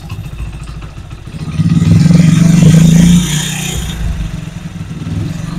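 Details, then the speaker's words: Motorcycle after repair of gearbox/clutch-box noise, in gear with light brake load: engine revs smoothly with no gear whine or clatter; box noise gone, normal gearbox running. "तो देख सकते हैं माशाल्लाह बिल्कुल य हवाज खत्म"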